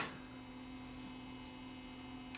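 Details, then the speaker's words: Recently overhauled 240 V Pye P75 valve radio, fed through a step-up transformer, with tubes warmed and volume up: only a steady low mains hum and no audio. The ECH42 tube has lost its vacuum, shown by its getter turning milky white. "I see the problem right now. This tube has failed. Check this out. This tube has lost its vacuum."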